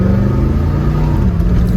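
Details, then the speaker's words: 1971 Corvette with a rebuilt, numbers-matching motor, in drive, pulling away under acceleration: a heavy low V8 rumble swells smoothly with no miss, knock or hesitation. Normal acceleration. "Man, this car, I'm telling you, this car goes. It just goes. It is so fun to drive."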